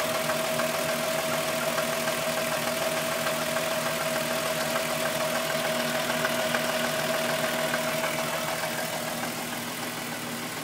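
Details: VW Golf VR6 2.9, 103,000 km, steady idle: a light, fairly regular ticking and scraping from the front, about three per second. The chain rub got louder after the owner replaced the upper hydraulic tensioner screw. Timing chain suspected, not confirmed.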